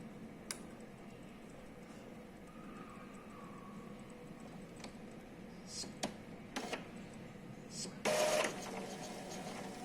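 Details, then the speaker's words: Epson L3150 printer pulling paper. Clicks, then a loud mechanical rasp and steady motor drone before it stops with a general error, all lights flashing. The carriage encoder disc is loose and spins free of its gear, desynchronizing carriage and paper feed. "por isso que faz esse barulhão porque ele tá rodando em falso tá vendo ó tá vendo era para rodar junto com a engrenagem tá rodando só o disquinho ele tá solto por isso que dá o erro"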